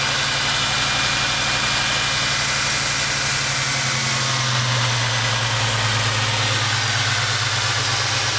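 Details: Ford Mustang V8 idling unevenly with a stumbling pulse from random misfires (P0300) caused by an incorrectly attached intake manifold vacuum hose; P0171 also set, aftermarket coil, wires, plugs and shorted O2 sensors also blamed.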